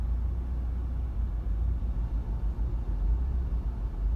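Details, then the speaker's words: 2013 VW Beetle 2.0 Turbo (Gen1), idling with the air on; low rumble surging and dipping with stumbles and shaking, near stalling; rough idle, cause not yet identified. "now we got the idol look at it it's stumbling i think you can see the shaking on the"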